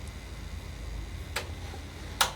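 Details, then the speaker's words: Sony TC-WR710 dual cassette deck, not working on the bench, deck B; mechanism cycles between reverse and forward play with no movement, then stops; quiet hum and sharp irregular clicks, tape never runs; worn belts needing replacement. "Uh there's no movement in the door. Can't see any movement whatsoever. And it's just going back and forth between reverse play, forward play, and it eventually comes to a stop."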